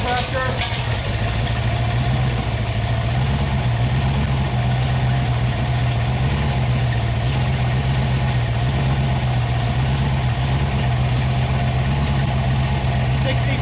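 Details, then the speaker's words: Freshly rebuilt Ford FE 390 V8, Edelbrock fuel-injected, first run on engine stand after priming oil pressure: deep, smooth steady idle over ten seconds, no tapping or misfire; runs well, though a fuel-system part blew a seal and leaked. "Well, I guess you just heard. It ran good. I really liked it. It sounded really good."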